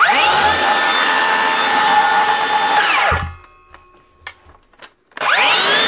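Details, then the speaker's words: DeWalt 54V DCS577 circular saw after replacing the failed bottom 6002 motor bearing, which had caused an intermittent grinding. It now spins up to a clean, steady whine and coasts down smoothly with no grinding or rattle. Normal running. "that look at that dealt we doesn't even have to replace the whole motor for it one little bearing which is up and running again"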